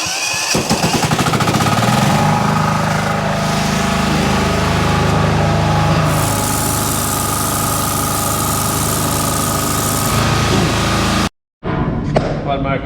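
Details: Small pull/key-start engine with a decompression lever on a washer that had a starting issue and a sludge-blocked filter, started after the filter was cleared: it catches and settles into a fast, steady chatter around 220 beats a minute. Running normally.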